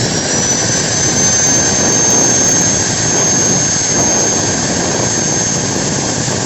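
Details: Modern M-2300B and Maktec MT90 stator-combination angle grinder, test run with the lower body not yet installed: a steady, even high-pitched whir with no rattle or crackle. No brush sparks, correct counterclockwise rotation. Normal running.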